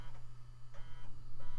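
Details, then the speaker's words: Floppy drive in an early-2000s Micro-ATX PC under test: steady low buzz with short rasping head steps about every half second; normal seek chatter of a working floppy drive. "Actually, it sounds really good. A noisy hard drive and a noisy floppy drive? I think I'm in love."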